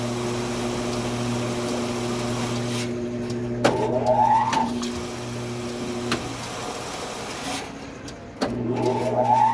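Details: 18-pound commercial front-load washer: steady electrical hum, timer runs all the way around and stops without washing or drum starting; faulty door start solenoid, worked fine after replacement.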